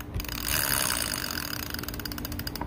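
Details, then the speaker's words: Reconditioned Penn spinning reel with the clicker on and set to reverse: crisp, evenly spaced clicks as the spool turns, with no grinding or catching; the reel works 100%; normal clicker operation. "then i could take off the clicker if i want right put it on the reverse perfect the wheel's working 100"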